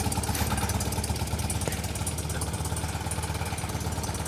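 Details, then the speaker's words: BMW Airhead motorcycle after installing an EnDuraLast III high-output alternator, in neutral with a timing light on: steady, even idle with a regular low thump and a light mechanical rattle on top. Timing sits at the S mark, as it should at idle. "Oh, so we have a functioning ignition system. It's running. There you go. That sounds good. That's idle."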